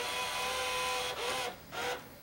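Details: RCA CPR300 VHS camcorder (1987) under repair: a small motor whirs with a thin, wavering tone that sags and surges while the tape won't advance. The owner first suspected the pinch roller, but it is a worn, slipping transport belt.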